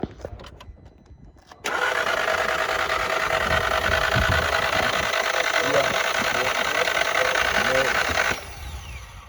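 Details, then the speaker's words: Volkswagen Jetta, over 200,000 miles, timing belt possibly never replaced, cranks but won't start; phone near engine; quick, light, even sewing-machine whir with no firing; mechanic suspects timing belt failure, unconfirmed. "This is going to be a timing belt problem."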